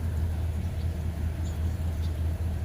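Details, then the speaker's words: 1996 Ford, possibly an F-250 5.8 V8, idling: low rumble with brief dips and stumbles, small intermittent "baby" misfires. Owner reports breakup while driving; no check engine light and no DTCs stored. Finding: intermittent misfire at idle. "can do it getting baby misfires here all right well when a misfire gets a little bit larger than that"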